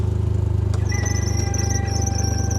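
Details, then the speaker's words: 2012 John Deere Gator 825i, three-cylinder inline 12-valve DOHC, 5,790 miles, owner reports no power and won't exceed 4000 rpm; fires right up, steady squeal over idle from belt or alternator, cause unconfirmed. "It does fire right up. You can hear it. We got a little squealing from the belt or alternator in the back, something like that."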